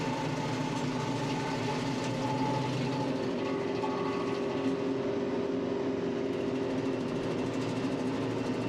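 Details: Tractor with Baumalight 3P38 three-point PTO stump grinder grinding a roughly 30-inch stump; even steady drone holding speed with no surging, dips or bogging; normal operation under load.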